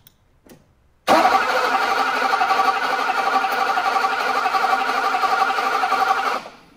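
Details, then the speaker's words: 1985 (believed) Mercedes 500SEC, K-Jetronic, cranking with modified ignition control module and original coil: starter spins steadily about four beats a second for five seconds, never catches; no-start traced to a weak original ignition coil. "that's correct it still doesn't start so let's get some test equipment on the car and see what's going on"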